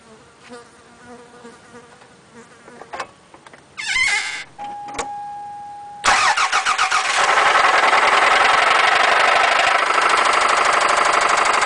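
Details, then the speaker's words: 1996 Toyota Celica 5S with 118,900 miles: after start, a loud heavy knock pounds steadily through the running noise; began after the motor let go on the highway weeks after purchase; rod knock suspected. "yeah that's rodnock for you a 5s with 118 900 miles on it with rodnock as you can see obviously a wonderful sound thanks"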